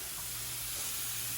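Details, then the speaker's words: All-American weighted-gauge pressure canner canning red potatoes: steady, even hiss of steam escaping under the 10-pound weight after 10 minutes of venting; canner building pressure normally. "So that's going to stay on there. It's going to build pressure. This guy right here, 10 pounds pressure for 40 minutes."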